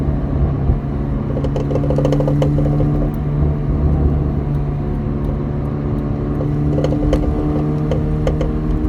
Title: Audi A4 b7 bad transmission mount